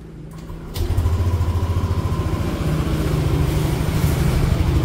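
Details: Yamaha NMAX Neo S on Castrol Magnatec 10W-40, cold start after about 30 hours unused: catches after brief crank, settles into steady, even low cold idle with no knocks or rattles; normal.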